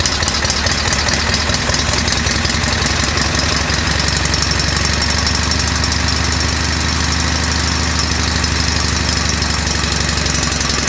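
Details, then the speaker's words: MULE utility vehicle with Peerless 930 transaxle, grinding in all gears including reverse after hard off-road use; harsh gritty grinding in fast rough rhythm over engine drone. Transaxle gear grinding. "yeah doesn't that sound gnarly so we're going to put this pig in the shop and find out what that's all about"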